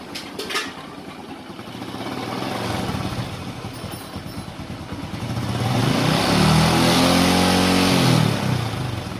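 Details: Honda Supra X 125 after clutch-side rebuild: idle rises into a smooth rev and settles with no scraping or metallic rasp; earlier metal-grinding noise in the clutch case is gone, normal running.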